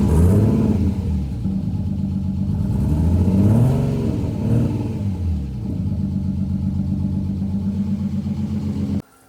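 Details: RB-powered Skyline R30 drift car starting after sitting for years, after possibly corroded earths, missing plugs and vacuum lines addressed; catches, settles, then several throttle blips, running steadily; engine starting and revving.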